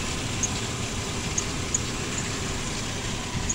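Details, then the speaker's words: 2008 Ford Explorer after fuel pressure sensor replacement and codes cleared: steady even idle hum, no misses, knocks or surging, faint outdoor background; smooth, runs like new, no leaks. "Alright, it's at night. Motor running smooth. Everything back together. She running like new."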